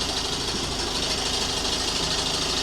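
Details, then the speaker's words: 2014 Audi A1 1.4 TFSI S line after a gearbox replacement and new clutch, cold start: busy, hissy metallic clatter at high idle; owner unsure why it's noisy and wonders whether it's the gearbox or new clutch. "It's a little bit noisy. [Music] [Music] I don't know why is it so noisy."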